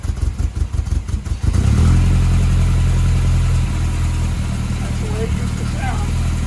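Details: 1978 MGB after carburetor rebuild: cranking pulses, then the engine catches and settles into a steady, even low idle with no misfire or knock; runs healthy.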